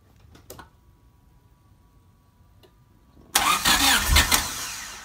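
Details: Honda Civic VTEC engine swapped into a Mini, first key turn, no radiator fitted; after brief electrical hum it cranks, catches quickly and revs strongly before easing back; normal start.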